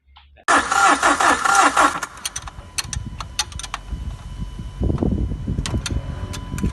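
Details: Hard-starting diesel engine cranks without starting: starter churns about four beats a second for 1.5 s, never catches, then clicks; steps are bleeding air, testing the fuel solenoid valve and checking injection pump supply.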